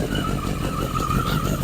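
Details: 1981 Yamaha Maxim XJ650 four-cylinder, first start after 20 years unused, old oil, carbs dusty but sound: steady, even running with a light constant exhaust note, no knocks or misses; healthy.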